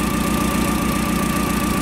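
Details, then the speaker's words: Caterpillar V50D forklift gas engine with hard cold starting, cylinder balance test at idle: steady even thrum that sags with a big RPM change when this plug wire is pulled, showing the cylinder is firing; rpm drop when a good cylinder is disabled. "try this one out RPM change right there big one"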